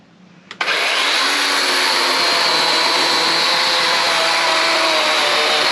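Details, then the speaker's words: Chainsaw cutting into a white pine log to reach a stiff metal object embedded deep inside: snaps to full speed with a sharp crack, then a harsh high steady scream as the chain hits the metal, damaging the chain. "I think I hit it with the chainsaw okay that's not okay it's no good you're ruining your chainsaw blade too"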